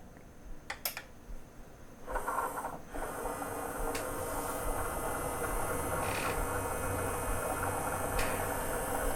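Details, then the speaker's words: Sony CDP-CX355 CD changer, nearly 20 years old, after replacing loading and carousel belts for table error: quiet clicks then smooth even whir of the tray with soft indexing clicks; carousel rotates and cycles through discs normally. "Nice, the carousel is rotating and it's cycling through all the discs."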